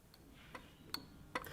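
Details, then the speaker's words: Older-car bimetallic indicator flasher unit wired up with crocodile clips: sharp light ticks about every 0.4 seconds as the strip snaps contact; normal flasher clicking. "It's very bistable, and so as it flies back and makes the contact, you actually hear a click, and you he"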